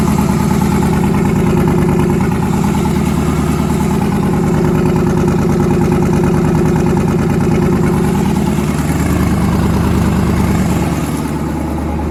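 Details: Newly twin-turbocharged engine, first start after conversion, deep lumpy idle with a recurring skipped beat in the exhaust pulses; back cylinder misfiring, head gaskets done last year, fuel line weeping, oil pressure near 70 psi.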